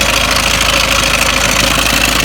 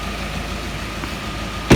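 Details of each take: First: Ford Mondeo Mk5 2.0 diesel, 246,000 miles, idling: loud idle with busy metallic chatter over the clatter; slack timing chain rattling, tensioner nylon guides broken, chain near breaking. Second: Ford Mondeo Mk5 2.0 diesel, engine bay, idling after restart following timing chain and tensioner check; earlier rough running owner suspects injector related. Quiet, steady idle with no chain rattle or slap, one brief thump, then quick rev; normal idle.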